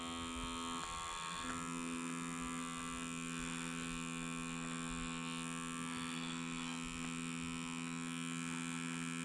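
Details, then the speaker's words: Small pump driving a 3D-printed reversible air valve to a syringe piston: steady small-motor buzz with a fixed tone, no change under load; leaks in the system keep pressure too low to overcome the syringe's rubber seal. "unfortunately nothing's happening there's a little bit of pressure but it's just not enough to overcome the free of the Rubber seal in the syringe when I made this I knew that there would be leaks in the system"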